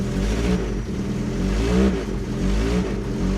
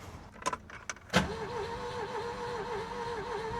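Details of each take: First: Ford Taunus Cortina fastback coupe first started after 40 years on 40-year-old fuel, weak starter, accelerator pumped: engine runs with a steady beat, rising smoothly on throttle blips; exhaust a bit leaky. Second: Ford Taunus Cortina fastback coupe, not started in 40 years, cranked after a brief run ended in clatter: clicks, then fast even starter spin with faint pulse, no firing; seems low compression, cause suspected, not confirmed.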